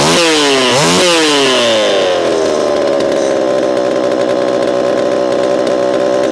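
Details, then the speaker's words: Repaired Homelite Super EZ chainsaw, boxed about two years after transit damage, on its first test run after reassembly. Two sharp revs climb and drop off quickly, then it settles into a steady buzzing run; crisp, instantaneous throttle response: normal running. "This thing has a lot of zing to it, and I know you know what I mean. Zing. It's throttle response is instantaneous."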